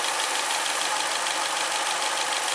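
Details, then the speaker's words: Renault Twingo first start after engine rebuild with new belt and gasket kit, about 780 rpm idle at 83°C: steady airy hiss over a quiet idle from an air leak at the injector rubber seal. "e aqui no motora e tem ali na borracha do bico tem um vazamento de ar"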